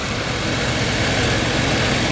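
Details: 1989 Chevrolet Caprice Brougham LS V8 at idle: steady, even low rumble with no knocks, misses, ticking or smoke; healthy.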